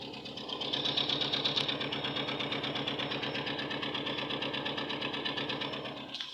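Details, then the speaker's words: 2003 Toyota Hilux 3RZ petrol engine idling just after new spark plugs: rapid, slightly uneven chuffing with a cylinder dropping out, misfire in cylinder 4 persisting despite swapping ignition leads; fuel pump suspected next. "sounds like his team is firing you can hear it huh"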